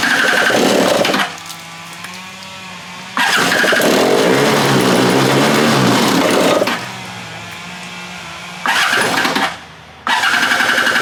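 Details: Free stand-up jet ski two-stroke on a stand after carburetor refit, fresh fuel, low/high mix screws at 1 3/8 and 1 3/4: bursts into revs, stumbles and drops away repeatedly, no steady idle; rough running, cause unconfirmed.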